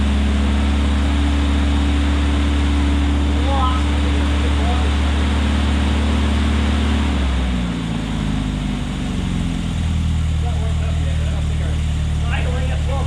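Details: 1972 Opel GT after reverting to the old accelerator pump and readjusting timing: smooth idle that dips briefly and settles steady, no stumble or miss; normal idle.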